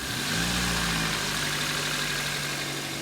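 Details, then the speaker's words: Four-cylinder engine at idle with the PCV line to the intake unplugged: strong hiss, idle drops low and uneven, struggling and likely not firing on all four cylinders from the vacuum leak; recovers when replugged. "so this is going to create a massive vacuum leak if I go ahead and unplug it you can hear the engine basically div and when I replug this line the engine comes back"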